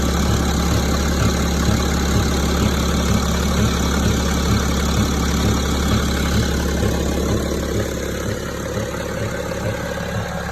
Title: Стук в двигателе БМВ е65 , 2006 , 3,0d